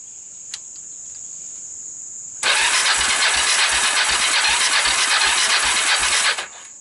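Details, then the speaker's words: Kawasaki Bayou 300 single with 60 psi compression, portable CDI, retimed valves and a PZ27 carb, no starting fluid: steady starter whir with an even chug near 3/s, never firing. Smoke blows out; low compression prevents starting. "got a whole lot of nothing going on here that's not good i got nothing"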